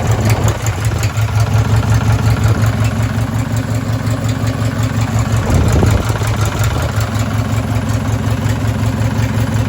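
Small engine at idle with a steady deep knock, close to three per second, riding every firing pulse; points to a worn rod bearing.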